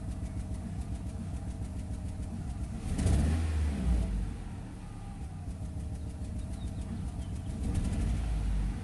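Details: 2008 Nissan Rogue with misfire code P0300 and check engine light: uneven idle with a busy low rattle and a brief rev swell; rough idling, worse in low gear; cause suspected, not confirmed.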